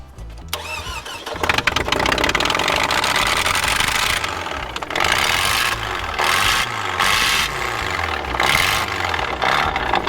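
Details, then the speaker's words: Toyota Camry derby car after fuel pump relay and fuse checks; engine catches after cranking with a rough, rattly burst at first fire, then uneven revving; harsh startup noise, owner says cylinders were flooded and had to be cleared. "what was that horrible noise when it first started oh two cents it was out oh okay I had to clear the cylinders out it was rather it was flooded pretty flooded"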